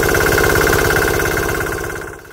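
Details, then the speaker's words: Vintage Cushman diesel-electric golf cart with a 196cc 3 hp air-cooled diesel, just installed: loud even diesel clatter at steady speed, no misfire, fading at end (recording volume turned down); normal running. "yeah it's noisy I just turned down the volume a whole bunch and it'll stay that way for all the test that we do I don't think anybody wants to listen to this thing at regular volume"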